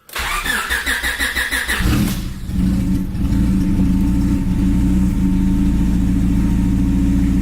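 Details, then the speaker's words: Honda Civic EK after new NGK spark plugs: quick crank, catches cleanly, settles into steady even idle with no stumble; misfires gone, though a slight exhaust leak remains. "I guess I gotta dig into that, but at least I don't have any misfires anymore, so that's a plus."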